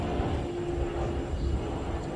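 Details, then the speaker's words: Pamapic outdoor patio heater turned from low to full. A deep, even roar with no sputter or popping, steady throughout: the burner is running cleanly at full output. "So you just turn it slowly, but you can go from something that's low all the way up. And that's full blast right there."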